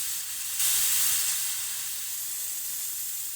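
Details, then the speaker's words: 2000 Chevrolet Silverado 1500 5.3L: A/C system being discharged by slowly cracking the service valve while the gauge pressure drops toward zero before compressor removal. Steady high-pitched hiss with no low rumble. Refrigerant bleeding off evenly, a normal controlled discharge. "I'm gonna just slowly crack open this valve and we should see that pressure drop to zero and I'd recommend wearing gloves because this refrigerants gonna come out of here at sixty pounds or whatever"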